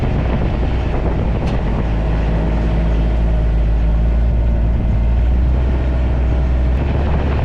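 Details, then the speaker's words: 2011 or 2012 John Deere XUV 855d diesel Gator on a test drive after new motor mounts and foam in the clutch housing: low, even diesel drone with no clunks or rattles, normal running and much quieter than before. "I'm gonna take this thing for a little bit of a test drive now oh yeah it's nice and quiet 's like brand new"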